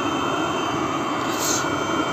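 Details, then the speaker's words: Webasto Thermo Top Z/C-D water heater on bench test, water pump fixed after a broken wire caused earlier overheating: steady, even roar with a soft hiss, no surging or popping, water steaming; burner running cleanly. "No i w końcu wszystko ruszyło tak jak widać woda paruje wszystko działa jak"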